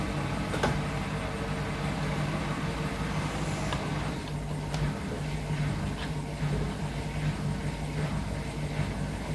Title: can anyone tell me why this Hotpoint Nswr making a weird noise